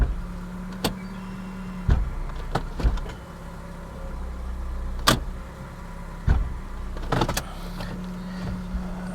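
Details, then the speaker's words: Salvage car with its check engine light on: a steady idle hum with a few dull low thumps as it is put in gear. The driveline clunks on engagement; the cause is not yet known. "You put in gear, it clunks."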